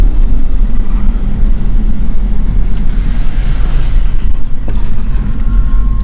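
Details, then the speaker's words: BMW E60 528xi (Copart car) at low speed after hub bearing replacement, previously noisy around 20–25 mph; steady road rumble, only rusty brakes heard, no rising hum or grinding from front hubs; the bad bearing was the cause, now normal wheel bearings. "it was the bad bearing it was the bad bearing because right now it doesn't produce those horrible sounds anymore"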